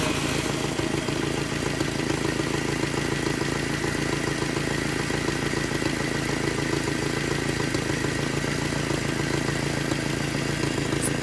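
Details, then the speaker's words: 1978 Datsun 1500 Ute GN620 after 20 years in a shed, fitted with a new aftermarket carburettor, now fed from the fuel tank: steady, even idle with a smooth low rumble and no knocks or misses; normal idle. "so she's running folks you can see i've got a fuel hooked up to the fuel tank now"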